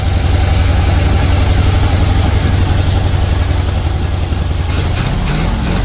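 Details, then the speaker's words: Pink Jeep V8 just after reassembly with new valve seals, oil pressure now up: lumpy, lopsided idle with a sucking note; owner thinks it still has dead cylinders. "Yeah, I think it's got a dead cylinder though. You hear that sucking sound? I got out of the way in time. sound. I think it's still got dead cylinders on it."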